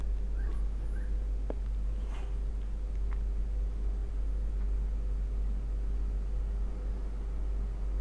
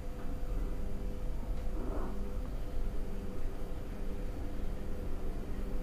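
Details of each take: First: Ceiling fan after opening, cleaning and lubricating with WD-40 to cure noisy running (suspected dirty or damaged bearing): even, steady low hum with no scraping, ticking or wobble; fan now turns smoothly and quietly. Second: Noisy ceiling fan: steady hum with a faint pulsing rattle from the motor bearing before being opened and treated with WD-40.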